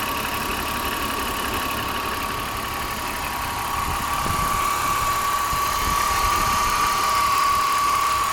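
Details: M54B30 engine in an E46 330Ci idling with a light, regular ticking of about four a second over a thin steady tone; owner asks what the ticking is.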